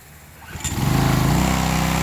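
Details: Old Craftsman pressure washer after repair, pump on and water supply connected: engine catches after half a second and settles into a steady, even beat, no misses or knocks; pump confirmed working, repair good.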